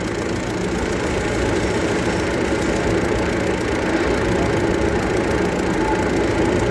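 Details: Hino diesel at idle: heavy idle with a steady, fairly uneven clatter of knocks, roughly four per second, riding over the rumble; engine knocking.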